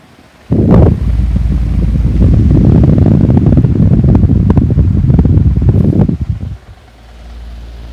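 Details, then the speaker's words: 2010 16-inch pedestal fan running without its front grill; steady low rushing hum with uneven flutter three or four times a second as the motor shakes excessively, cause unclear. "wrong the motor shaking is shaking so much hi goodness me is shaking a lot you can hear it off i don't like how much you're shaking"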